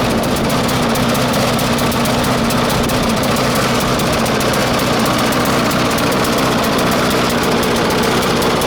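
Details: 1996 Murray 20-inch mower, Briggs & Stratton 4 HP single-cylinder, cold start at 3 °C after 10 months sitting: steady running with ragged, uneven note; rough, not getting enough fuel; different spring fitted to raise idle, may need spring adjustment.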